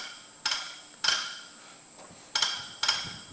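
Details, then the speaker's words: Lanz Bulldog tractor injector, previously leaky, with a new nozzle fitted (old nozzle could not be lapped fine enough), pump-tested: four crisp sharp chirps, one per stroke, with quiet between; nozzle atomizing properly, repair done. "let's give that a go and listen for that chirp is what you want"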